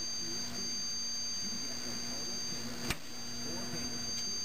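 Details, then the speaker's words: 1974 Zenith E4760 Avanti TV, 25EC58 chassis, after replacing 22-5001 safety capacitors, in service mode: faint steady main transformer hum with thin high whine and one click; expected, normal. "it goes away but I can still hear I can still hear the main transformer home a little bit and I expect that"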